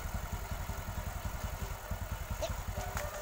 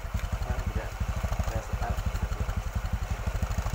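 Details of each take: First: Motorcycle engine idling after repair of a worn-out rebore; spark plug not yet cleaned, so it was hard to start. Even, soft idle pulsing about two to three beats a second, no knock or rattle; now very smooth. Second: Motorcycle with a worn bore, after the fix, exhaust no longer smoking; spark plug not cleaned so hard starting. Slow thudding idle with occasional sags: idle speed set too low, so the throttle stop is turned up.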